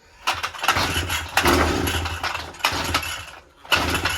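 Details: Brush cutter/grass cutter with a week-long starting problem: repeated pull-start attempts catching for a second or so in bursts then dying; hard starting, cause not confirmed.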